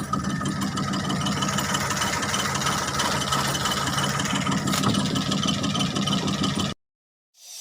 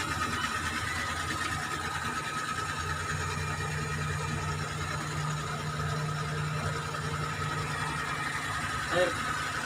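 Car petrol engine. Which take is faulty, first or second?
first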